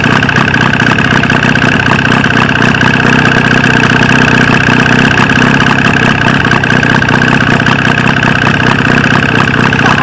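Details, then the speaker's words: 1995 Force 40 hp outboard with water in the cylinders, after flooding with fuel: loud, steady but lumpy buzz with an uneven firing beat at fast idle; running on only one cylinder. "Je she run she Run's pretty great even even on one lung"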